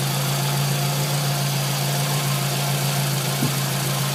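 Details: Scion tC idling after water pump replacement (old pump's bearing felt gritty): smooth, steady hum with no more scraping or scratchy sound; normal idle.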